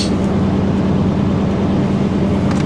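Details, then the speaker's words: Nissan Armada at a Copart yard, engine uncertain (owner guesses 5.6 L), running after repeated hard starts with the glow plug light flashing: deep, even rumble with a steady drone and no knocks or misses. Sounds good. Normal running. "She sounds good though. That sounds really good."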